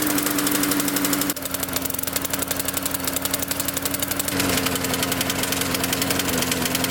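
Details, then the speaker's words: Probably mid-2000s MTD Yard Machines push mower, trash-picked, just fuelled and primed. Runs rough with a rattling buzz, surging and vibrating; owner suspects a loose blade or bent crankshaft, fuel flooding onto the deck, heavy soot, needs a carburetor diaphragm. "I think we've got a loose blade or possibly a bent crankshaft and yes definitely flooding all over the deck"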